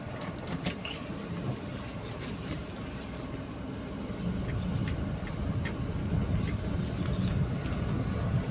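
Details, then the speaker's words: Perodua Axia after brake fluid change and brake and pin service, driven at low speed on same road: low road and engine rumble inside, front knocking gone; not suspension or subframe mounting. "Ah baru tah hilang sudah bunyi dia."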